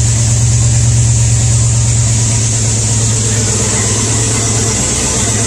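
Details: V8 started with choke on a cool night after the broken pushrod was removed; an even lope with no miss in the beat and a raspy, leaky holed exhaust. All eight cylinders are firing, with heavy smoke.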